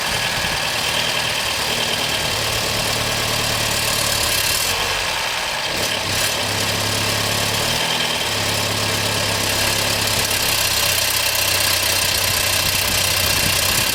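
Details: 2014 BMW 116i F20 idling with a steady hiss and a loose, irregular chatter on top; BMW says this is normal and nothing is wrong, cause not pinned down.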